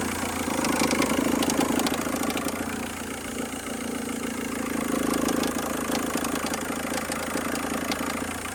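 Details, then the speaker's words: Engine idling: uneven ticking clatter about four per second over the hum, located inside the engine area; source still unidentified after a new sensor, owner suspected a bolt; abnormal engine noise at idle. "Hazlo otra vez para para es aquí el ruido que hace es aquí dentro vale páralo"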